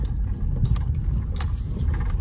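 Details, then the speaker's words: Oldsmobile 98 Regency driven over gravel. Light tinny clattering bursts come and go over the crunch of the gravel; a loose ashtray is rattling, otherwise the ride is smooth. "but just smooth the ashtrays doing a little rattle down there over the gravel but besides that"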